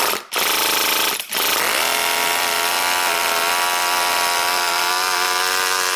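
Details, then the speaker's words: NR200 8.6cc twin-cylinder four-stroke glow engine (22,000 rpm) at first start-up, straight from the factory and without its water cooling system. It stumbles twice, then snaps up to a clean, high, steady scream and revs quickly. It is already hot, and the idle still needs adjusting. "I don't want to run it too long without the water system in there, but wow, that sounds cool. Wow, that revs up really, really quick. It's already hot, but yeah, I need to adjust the idle."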